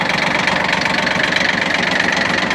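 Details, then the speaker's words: Shibaura P17F 17 hp Japanese diesel mini tractor, 747 hours, glow plugs preheated, cool outdoors, idling after start: even steady clatter, no odd knocks, misses or extra noise; engine running smoothly and normally. "Отлично Отлично работает двигатель ровно четко без лишних Шумов каких-то"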